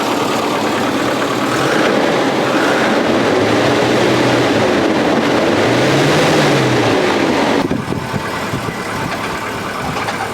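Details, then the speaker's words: Volvo 740 during a service, engine running after belt adjustment: thin wavering squeal rising and falling over idle before cutting out; drive belt still too loose and slipping, and the adjuster bolt then snapped, possibly why it wouldn't tighten. "so it's chirping a bit yeah it's still too loose but i don't see why it's not tightening up anymore"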